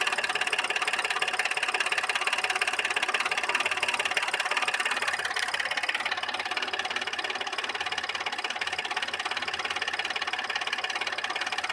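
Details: Audi A6 C6 3.2 engine: a fast, fairly even internal ticking knock of about three or four per second over the running engine, with no power and a misfire; cause of the knock unknown.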